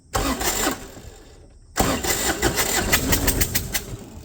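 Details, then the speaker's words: Kubota F2400 diesel tractor, little used for years, new battery, two of three longer aftermarket glow plugs fitted, cranking with clutch in: steady cranking about three compression beats a second, no tapping or striking; plugs clear pistons. "we're going to push the clutch in and we're going to crank on this and see before I put the third one in and see what happens."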